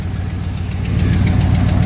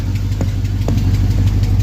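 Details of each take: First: 1975 Ford F350 body on 2004 Cadillac Escalade 6.0 V8 AWD chassis, first start after sitting years on old gas with boost: rough steady idle with sharp tick each pulse on one side; owner suspects exhaust leak, otherwise running smooth. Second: 1975 Ford F350 body on a 2004 Cadillac Escalade 6.0 liter AWD chassis, after sitting about two years: low, even idle burble with steady rhythm, no tapping or stumbling; runs smooth, drives and shifts nicely, normal idle.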